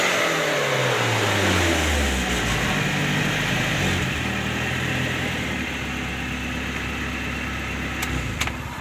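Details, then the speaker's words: Suzuki Carry Futura injection that stumbled and wouldn't take sudden throttle, after throttle body and sensor service; now picks up cleanly from idle into smooth rising revs with no stumble, throttle response normal. "Baiklah sobat semua seperti ini jadi Alhamdulillah sekarang sudah bisa dikatakan normal gasnya setelah kita servis Turtle body maupun sensor-sensornya"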